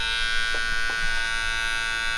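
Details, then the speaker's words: Clipper after blade sharpening, test-cutting (before it was crunchy and tugged): steady high buzz with crisp cutting bursts, no bogging, cutting way better; blade a little bit bent and needs replacing; normal running. "yeah cutting way better now I'm going to have to replace it because that one right there is a little bit bent"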